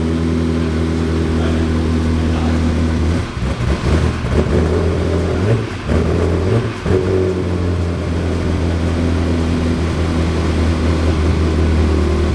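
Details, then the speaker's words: Ferrari 360 Spider, little fuel: uneven lumpy running with the rhythm dropping out, about 5–6 cylinders firing. Misfire; owners suspect more than just a misfire. "Okay. That sounded horrible. I think there's more than just a misfire here."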